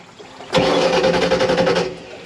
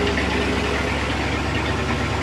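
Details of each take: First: 1986 Shamrock 20 boat with a Ford 302 V8, not started in 3 years. Steady cranking chuff that never catches, while the fuel pump can be heard running. The carburetor bowl is dry, a fuel starvation no-start. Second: 1986 Shamrock 20 boat, Ford 302 V8 not started in 3 years, now running with the fuel pump feeding the carb: deep, steady V8 burble at idle with no misfires or knocks, over water splashing; smooth, healthy idle.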